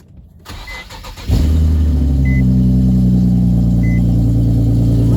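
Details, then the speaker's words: Infiniti G37 first cold start the day after repairing a bad exhaust leak: catches after a short crank and settles into smooth, steady idle with no ticking or puffing; leak fixed. "sounds sounds better but for sure the exhaust is fixed"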